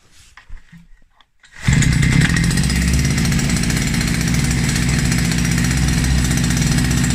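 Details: Russian URAL MASH 5.7 hp brush cutter, new, first run during break-in after assembly; started easily first try: small two-stroke settles into a steady, even high buzz with no misfire or rattle; normal running.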